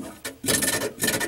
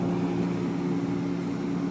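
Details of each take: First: GE 18 cu ft refrigerator evaporator fan: short scraping rasps in bursts as it turns; the loose fan motor lets the blade touch the shroud edge, worse with ice buildup. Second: GE 18 cu ft refrigerator (GTH18) after evaporator fan motor replacement (old motor had loose bearing): steady even low hum, no rattle, scrape or clicking; fan and compressor running normally.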